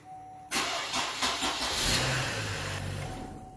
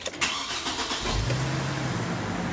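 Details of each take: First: 2007 Chevy Trailblazer 4.2: a few slow, laboured cranking beats well below normal before barely catching; weak crank, battery suspected pending load test. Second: Brief quick crank that catches almost at once into a smooth idle on a 2007 Chevy Trailblazer 4.2 after a weak battery was replaced. Normal engine cranking.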